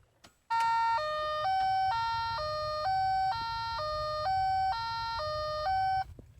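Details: 2003 VW Cabrio (titled 2000), recently bought used: a clear three-note dashboard chime, high-low-middle, repeats four times every time the key is turned on; owner doesn't know the cause.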